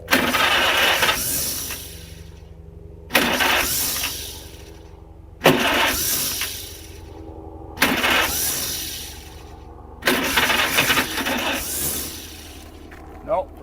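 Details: 1947 Farmall Cub tractor with original distributor cap: five cranking bursts about two seconds apart; the engine coughs and tries but never catches and runs on its own.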